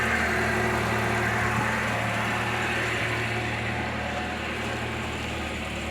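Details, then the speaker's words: 2022 Lada Niva Travel at 22,308 km. It recently makes a noise at cold start (owner suspects hydraulic lifters or timing chain) that then goes away. Running afterwards: even, steady idle hum with no ticks or knocks. Normal idle. "а потом все нормально никаких звуков не эту штуку смету нормально вот так вот двигатель работает"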